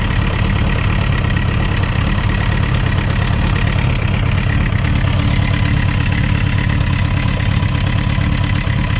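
Steady motorcycle idle with a loose, uneven knock riding the low rumble, roughly three per second; a knocking engine, source not yet pinned down.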